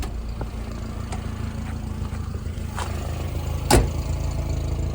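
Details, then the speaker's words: Nissan Hardbody 4x4 pickup, check engine light on, intermittent misfire; deep uneven loping exhaust idle with one sharp clatter, possible backfiring; owner suspects only three cylinders firing and a vacuum leak; rough idle. "As you can see, we do have a check engine light, and it is idling pretty rough right now. I think it's only firing on 3 cylinders."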